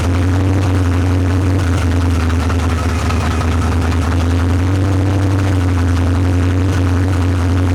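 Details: Monte Carlo after cylinder head replacement with Teflon valve seals for high-lift cam, running on open headers: loud, deep, steady rumble with even beat, no knocks or misses; normal V8 idle.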